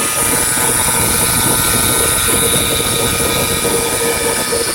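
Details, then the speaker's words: Aircraft starter motor run on the bench after rebuild/refresh, motor had internal corrosion: steady high whine over a coarse gritty rumble; rough running noise, cause not confirmed. "Rachel all the noises coming from the motor the motor with the uh all that corrosion in there"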